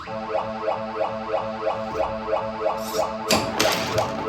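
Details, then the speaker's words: Bally pinball machine, background music restored via dip switch setting, plunger fixed; steady looping electronic tune with even beats, then a flurry of bells and chimes from play; game music and sounds normal. "Now you'll hear the background music if you haven't seen my short video."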